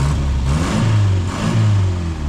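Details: Car after major work, sat nearly 35–40 years, timing unadjusted, temperature gauge mid-scale: steady even low rumble with smooth light throttle swells; warm engine running cleanly, no knocks or misses.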